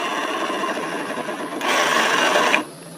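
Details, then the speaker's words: Yamaha Mio M3 scooter, rear wheel turned by hand: harsh, dry rasping grind from the final-drive gear ratio section, CVT pulley smooth; worn final-drive gearbox bearings. "cara mengatasi suara kasar di motor Yamaha Mio M3 teman-teman bisa dengar sendiri suara pertama kali kemudian kita putar lagi rodanya"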